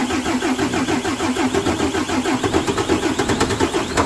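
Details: Mercedes Axor OM457 diesel, first start after full rebuild for abnormal engine knocks, fuel bled and all filters new: catches and settles to even regular beat about nine pulses a second, no knock; running cleanly.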